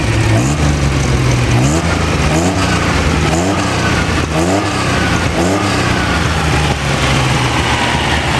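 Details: Freshly rebuilt Ferrari Dino 246 GT engine, fully restored and run on a small test stand before final installation, with oil pressure, water temperature and exhaust being checked: blipped up and down several times, revving cleanly with no knocks, misfires or rattles; normal revving.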